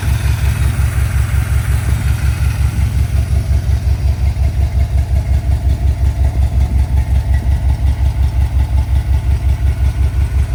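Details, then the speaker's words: V8 with new welded dual exhaust, after correcting timing by one tooth: even, steady, much smoother idle with no misses; slight valve tapping still audible, valves still to adjust. "one tooth made all the difference in the world um Idol's a lot smoother now"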